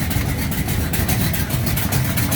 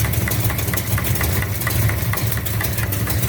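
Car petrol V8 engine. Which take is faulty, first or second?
second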